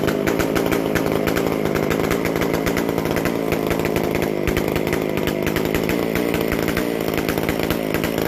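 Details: McCulloch Super Pro 125C chainsaw after base gasket changed and sealed, fixed-jet carb mixture turned out slightly; crisp rapid even firing without misses or bogging, runs well, loud exhaust from missing muffler gasket.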